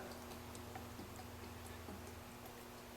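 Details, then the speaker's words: 6.0L diesel VGT turbocharger on the bench: light, uneven ticking over a low hum; worn shaft bearing, bearing housing damaged and housing pitted, turbo being replaced with a whole new unit. "There shouldn't be that at all. My bearing housing is pooched in this thing."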